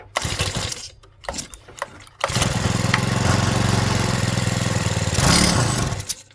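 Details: Stihl FS65-4 four-stroke petrol strimmer with badly overfilled oil; after cleaning oil out of the system, several short pulls die, then it fires and runs a rough uneven fast idle, still needing to burn off old oil.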